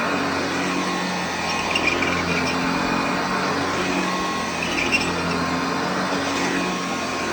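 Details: Hoover Junior (UK) / Lark (US) model 115 upright vacuum running on a newly fitted belt: steady, even motor drone with no slapping, squeal or rattle from the belt; running smoothly.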